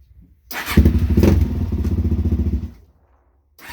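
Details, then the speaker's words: Suzuki LTZ400 quad, first run in over a year, with a new carburetor: engine pulses roughly four times a second, then cuts out under throttle before refiring; owner suspects jetting or main jet, too little air or too much fuel, unconfirmed. "like i said i put a new carb on it but it could be the jetting or the main like i said when i go to give it power it just cuts out seems like it's not getting enough air or too much fuel either one"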